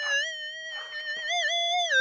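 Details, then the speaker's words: Minelab SDC 2300 metal detector: clear musical target tone rising out of the humming threshold and wavering as the coil sweeps over the target; normal detection signal. "all right so you guys can hear there's a target there also that humming noise that you're hearing that's what it sounds like and now you can hear that threshold break guys so that's a target tone on an sdc"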